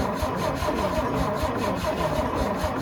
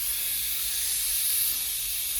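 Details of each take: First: Antique International winch truck left sitting in the woods, fuel siphoned to the mechanical fuel pump: steady even cranking about eight seconds with no firing; no spark at plugs, ignition coil gets power but sends none out. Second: Old International winch truck, first start after sitting in woods, running on fresh gas: steady high hiss with no knocking as the air brake system builds pressure normally.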